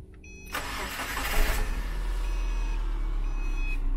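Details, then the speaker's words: Car start right after replacing the dead battery: short crank, engine fires quickly and settles into an even idle; starts cleanly and strongly, normal engine start. "je remplace la batterie maintenant écouter le bruit qu'elle fait après avoir remplacé à la batterie"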